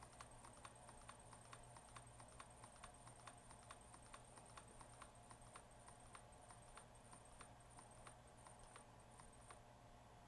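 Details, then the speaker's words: Waterpik SF-03C/SF-03W flosser pump motor on bench supply, lowered toward 1.7 volts where it stalls (starts at 2.3 V): soft steady ticking about three per second over faint hum; motor judged fine. "right there 1.7 volts okay I'm going to say the motor is just fine and it starts up at 2.3 1.7 volts"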